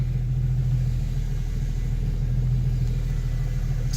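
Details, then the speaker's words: Jeep TJ Wrangler after tightening the track bar bolt, engine idling while the steering wheel turns: no pops or clunks from the front end; the earlier popping was the loose track bar bolt. "nothing no noise whatsoever no popping noise and I mean I'm so glad I fixed it"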